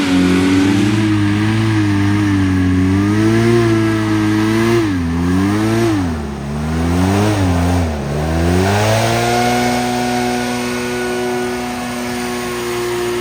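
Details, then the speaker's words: 1986 Scat hovercraft two-stroke engine running under load after a change of fuel mix: a steady drone that sags and wavers in pitch several times, then settles lower. Owners wondered about fueling; the engine seized from a melted piston. "I'm not sure why but the engine is seizing up the engine seized up"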